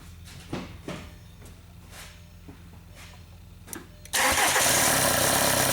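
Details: VW TDI diesel starting after priming the injection pump and bleeding the injectors: quiet ticking, then it fires at about four seconds and settles straight into a steady, even idle clatter with no stumble from trapped air.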